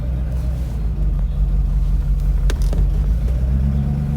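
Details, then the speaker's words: Mercedes-Benz R107 380SL V8 idling, not fully warm, after distributor cap and rotor arm replacement for cutting out when shifting gears at idle: even low rumble holds steady through selector clicks between park, drive and neutral, no stumble or cut-out; normal idle. "It does sound so much smoother. More so when the engine was warm."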